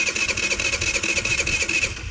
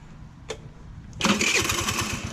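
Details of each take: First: GY6 scooter with stripped, wobbling carburetor idle speed screw pushed down by screwdriver: fast, even starter churning about two seconds with no firing that takes hold; cranks but won't start. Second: GY6 scooter after replacing stripped, damaged carburetor idle speed screw and spring: a click, then starts and settles into a steady even idle putter; no-start fixed, idle then lowered slightly.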